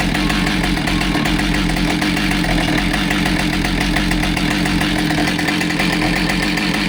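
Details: Husqvarna 572XPG chainsaw that had been run over, test run after repair with a new bar and a replaced heated handle: loud, steady two-stroke snarl holding an even pitch with no surging or shake; it runs smooth and healthy.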